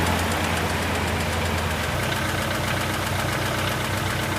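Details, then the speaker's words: Car engine idling cold and starting to warm, oil pressure near 3 bar on a gauge: fast, light tapping at two to three taps a second; owner suspects lifters, engine play or clogged oil pickup, unconfirmed. "meu carro bate tucho como que eu descubro se é tucho se é folga no motor se é pescador de bomba de óleo entupido e tudo mais"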